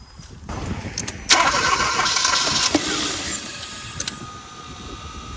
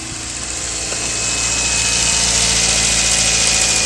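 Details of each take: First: 2015 Kia Forte 1.6L turbo no-start that cranks but won't run; with starting fluid sprayed into the intake it fires only briefly, running a few seconds before fading. It has spark but no fuel, a fuel delivery failure. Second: 2015 Kia Forte 1.6L turbo, after fuel pump replacement fixed a no-start: the engine catches and settles into a steady, even idle with a smooth hiss and no stumble or miss, and no fuel leaks. Normal idle.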